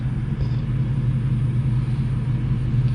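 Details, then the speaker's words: Roughly 1970 Case 580 Construction King backhoe diesel, long sitting: deep sluggish starter rumble about three beats a second without firing, cranking slowly, exhaust fumes, oil dumping from a holed oil filter; has fuel but won't burn it, owner suspects. "it's got fuel it's just not one to burn it it's my theory it's also not turning over very fast"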